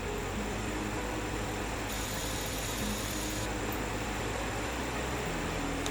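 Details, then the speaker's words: GTX 1660 graphics card fan in a mining rig, after cleaning the noisy fan: soft, even whoosh of air with low steady hum, no rattle or buzz; noise gone or nearly gone. "bueno no bate luego de limpiar un poco mejor deberían ver qué y yo me callo la boca esto ya no está haciendo más ruido o muy poquito"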